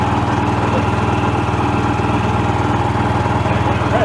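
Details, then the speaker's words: Yamaha YBR 125 single-cylinder after swapping in a used engine, replacing one that rattled with no power from a suspected failed crank bearing: steady putter at about four beats a second, no rattle or misfire. It is idling cleanly. "Yeah. Sounds spot on, I think. Definitely better than the last one."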